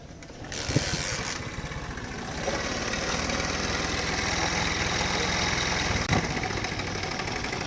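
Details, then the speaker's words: Honda CD 70 type 70cc motorcycle before timing chain replacement: starts and idles with a dry, metallic clatter from the top end due to a worn, slack timing chain. "देख सकते हैं आप इंजन में कैसी आवाज़ आ रही है इसकी टाइमिंग चैन की।"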